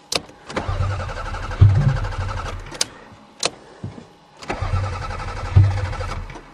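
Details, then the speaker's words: Toyota Camry on a snowy cold start: the starter churns in short, uneven bursts with a few weak puffs but the engine never catches. No fuel pump sound is heard, and the owner suspects fuel pump failure. "come on come on it's a Toyota I don't hear the fuel pump uh-oh oh no uh-oh we have fuel pump failure"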